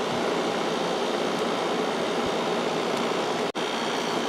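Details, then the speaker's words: 1995 Kenmore 5,450 BTU window AC with GE PSC fan and Sanyo compressor, about 20 minutes in on high fan, drawing less power than on low because pressure stays lower: steady even air rush, no rattles or cycling, blowing cold air, normal. "is blowing nice cold air even with the heater going right into it so I think that's where it's going to sit now"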